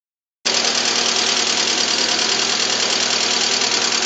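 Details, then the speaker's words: 2007 Lada Priora, VAZ 21126 engine, unknown mileage, overhauled with 82.5 mm pistons after bent valves: steady ticking-knocking clatter about three per second at idle, same cold or hot. Suspected hydraulic lifters or pistons; earlier misfires, one cracked coil. "Звук двигателя что на холодную, что на горячую. Имеет характерный стук, похожий на звук гидрокомпенсаторов, либо стук поршней."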